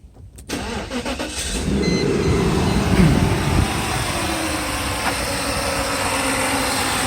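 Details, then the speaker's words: 1999 Mercedes S500 V8, second start of the day after new engine mounts: the starter cranks briefly, then it settles into a smooth, even idle with the previous ticking gone. Healthy. "let me start it up for you so you actually hear that there is no more ticking going on"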